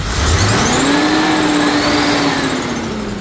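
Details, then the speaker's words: 1967 Corvette C2 with new carburetor, running cold: steady engine roar with fan whoosh climbing then holding as the fan clutch locks up; normal engagement. "The fan clutch is locking up. You can hear it cold."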